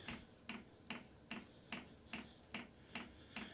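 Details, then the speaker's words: Heater dosing fuel pump ticking while heater warms up and glow plug heats, heard from inside the wagon before the pump is remounted: light crisp clicks at a steady two-and-a-half per second; normal pump clicking. "click click click so we can hear that it's blowing cold a right now yeah it's warming up can really hear hear that clicking"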